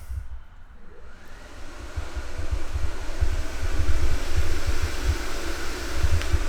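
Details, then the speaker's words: Project car's transmission oil cooler fan on far side, toggled, drawing about 2.6 amps: low steady electric fan rush building to full speed and holding evenly, no rubbing or ticking; normal operation. "that's the main cooling fans then i've got the transmission oil cooler fan so that'll be on the far side of the car we'll toggle that"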